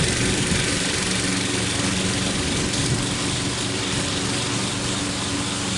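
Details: Troy-Bilt mower with a "Frankenstein" engine built from another engine's parts, after a new head gasket: cutting under load, with a steady engine drone and no surging or hunting; running properly.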